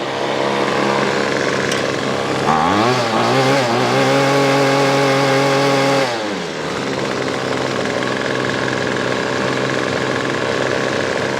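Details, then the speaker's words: Weedeater Featherlight SST25 25cc two-stroke trimmer after carb kit rebuild and low-screw tuning: crisp rev to a steady high scream, clean drop to smooth even idle; runs healthy. "Thing's a little ripper for sure."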